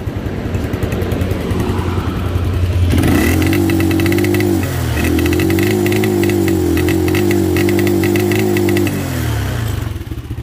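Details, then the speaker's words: Motorcycle that bogs at 6,000-7,000 rpm, stalls and won't restart, with no spark found: the engine sags and falls back when throttled, as if the choke were on. "entonces encontramos problema que decía el cliente que prácticamente no podían dar no podía andar porque se ahogaba así de feo"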